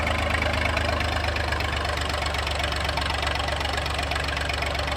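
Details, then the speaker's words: Massey 2500 tractor forklift diesel started while cranking after the lift pump gave no fuel: even, rapid clatter at a steady idle with no misfire or hunting; exploded into life and runs healthy. "Cracked it, and it just exploded into life."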